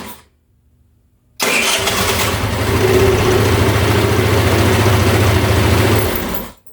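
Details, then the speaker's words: GY6 scooter after replacing the faulty old starter motor with a new one: quick crank well under a second, catches and settles into a steady idle with no throttle given. Electric starter issue fixed. "Well guys, I think the electric starter issue is officially fixed."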